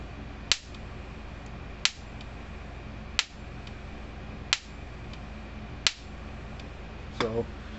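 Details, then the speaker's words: American Farmworks 120 mile fence charger, hammer touched to one terminal and held close to the other to draw spark; sharp crisp snaps about every 1.3 seconds, strong and even. Normal hard-hitting output spark. "i want to touch the hammer to one side like the fence or grounded matter and lean it over real close to the other terminal watch the spark it"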